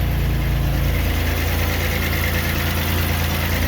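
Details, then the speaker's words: Pontiac Grand Prix GTP's 3800 engine with ZZP coils and a TEP transmission, on first start after install: a steady, fairly smooth idle with a faint, quick tick and a little smoke. The owner suspects the exhaust; no misfires were seen. "Sounds good. A little tick. It's kind of echoey in here. I don't know if you guys can hear that little tick."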